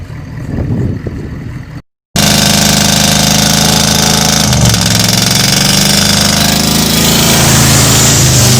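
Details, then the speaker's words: 1985 Ford Bronco V8, first start in 8 months after sitting, coolant leaking into cylinders, oil squirted in bores; catches and runs loud, ragged and lumpy with heavy smoke, misfiring; needs head gaskets, maybe heads. "what do you think [Music] it don't run good but it runs"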